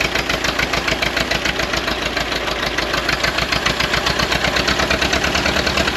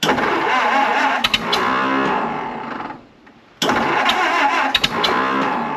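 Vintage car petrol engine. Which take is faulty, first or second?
second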